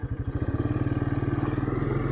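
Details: 1984 Honda Big Red 200 three-wheeler, sat about 25–30 years, now running after new carburetor, oil change and throttle cable; ignition switch still not working but motor sounds good: crisp, even thumping about seventeen beats a second, no clatter or misses, pulls evenly under way.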